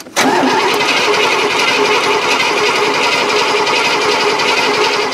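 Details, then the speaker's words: 1970 Cadillac off the road since 1999, fuel poured in: steady rhythmic cranking about five seconds with a few stronger pulses that almost catch, but the engine never runs on its own. "well guys the caddy almost kicked off but not quite so we're gonna have to see what happens"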